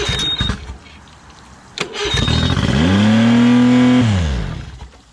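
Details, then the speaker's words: Outboard engine after long storage: catches, revs straight up and hangs high over a second before sagging down; throttle sticking from sitting. "all right well the throttle is sticking shouldn't have done that so i got the motor running good i just had uh the throttle that was sticking i guess from sitting over time"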